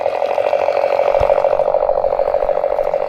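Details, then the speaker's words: MTH Galloping Goose Proto 1 model locomotive that would not move, after repair and reassembly, moving forward on track: even rapid chuffing about three beats a second over a steady mid tone; pulling smoothly, running properly. "That is awesome! It is working good."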